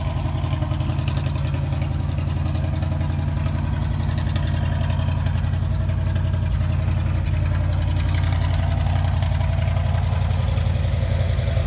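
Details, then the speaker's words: 1959 Chevy Bel Air with 283 2bbl V8, revived after sitting in a Kansas field since 1976, now running and driving; even deep V8 burble at steady idle with regular firing pulses, no knocks or misses. "i've got another video for you showcasing my 1959 chevy bel air that i pulled out of a field in kansas where it sat since 1976 and is now running and driving and on the road again"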